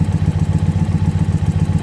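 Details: Warmed-up Indian Pursuit V-twin idling during a throttle body sync check while the gauge valves are tightened: steady low thump, about seven pulses a second, no misses, knocks or clatter; healthy idle.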